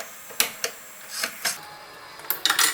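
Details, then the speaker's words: Panasonic AF90B2 washing machine that drains water constantly and won't hold water: sharp, irregular metallic clicks a few per second from a coin stuck in the drain valve, which was holding it open. "ได้ยินเสียงเหมือนมีเหรียญติดอยู่นะครับเหรียญตกมานะครับ"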